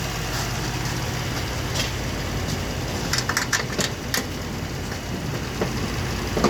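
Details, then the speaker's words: 2004 Toyota Sienna after water pump and timing system reinstall: steady low idle with soft even rumble and a few light clicks from nearby work; engine relearning its position and settling into smooth normal idle. "If you listen to the motor running, you can kind of hear that it's starting to relearn its position. Some newer motors will do that."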